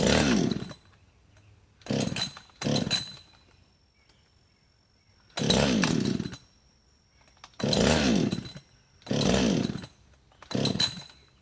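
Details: Husqvarna 562XP chainsaw, hot after running and sitting 15+ minutes in the sun at 91°F and about 100% humidity, on choke: seven rasping recoil pulls and it never fires. The primer bulb pulls no fuel; the owner suspects vapor lock.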